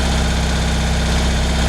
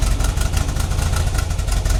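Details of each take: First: 1975 BMW R75/6 airhead boxer, 140,000 miles, off road over a year; chokes fully open, slow lumpy tick-over with widely spaced pulses, barely holding on; idle speed too low, Bing carburettor throttle stop to be opened a touch. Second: 1975 BMW R75/6 boxer, about 140,000 miles, off road over a year, on full choke in neutral: deep even low thump holding steady idle; clean first start in over a year.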